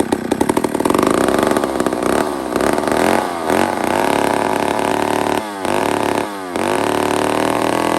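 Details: Old McCulloch 1-71 two-stroke chainsaw after a major carburetor upgrade with a new adapter: revs up and holds a crisp high note, a couple of clean throttle blips, no stumbling; runs healthy.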